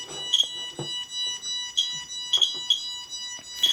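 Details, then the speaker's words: QSAFE QSF-104, RADEX and Smart Geiger radiation meters compared near a radioactive source. The QSAFE reacts first with a dose-rate warning of bursts of high-pitched electronic chirps in a quiet room, while the RADEX reading is still rising. "그니까 세이프가 제일 빨리 반응해서 먼저 지금 경고를 올려주고 있고요 라데스 같은 경우는 아직도 지금 숫자가 좀 더 어 아직은 다 안 올라간 거 같습니다"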